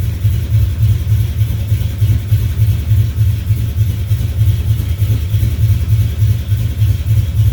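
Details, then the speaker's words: 1970 Duster 340 V8, started a little cold after new pushrods and intake gaskets replaced short pushrods that had caused ticking or knocking. Steady lumpy idle with an even pulse and no top-end tapping; ticking gone, normal idle. "All right, no knocking, ticking, whatever. Keep calling it knocking. No ticking, so not gonna take it for a ride."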